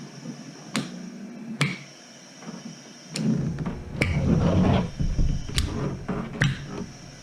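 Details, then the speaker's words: Ave Maria Ambu-bag emergency ventilator: paired sharp valve clicks about 0.8 s apart repeating every ~2.4 s with hiss between; pressure starts at four, equalizes around one to one and a half, vents excess; normal valve cycling. "and so you can see here where it's pinging where it should starts at four pressure equalizes somewhere around one one and a half total and also vents out anything extra"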